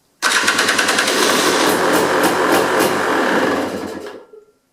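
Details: KTM XC/XCW dirt bike after starter upgrade (KTM bendix gear set, otherwise stock), in neutral with choke on, battery possibly getting low: fast, even cranking at about three compression strokes a second, strong and steady for four seconds without slowing or grinding; slow crank fixed.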